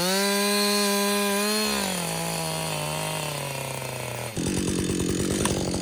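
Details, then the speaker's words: Husqvarna 562XP chainsaw after a Husqvarna-recommended software reflash for dying when hot and stumbling. Saw hot after extended cutting: screaming two-stroke pulls down smoothly into the cut and holds strong without bogging or four-stroking. The owner says it is running its best ever. Normal running under load. "this saw that's the best it's ever ran it's the first time I put that much run time on it straight"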